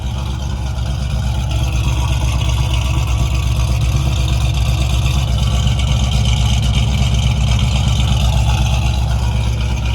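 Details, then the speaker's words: 1995 Ford Mustang 302 automatic, original engine before swap, reportedly pushing oil out of dipstick tube; deep steady V8 burble about two pulses a second, even with no knocks or misses, runs and sounds good. "I mean, the thing will crank up and run right now. I mean, it sounds good."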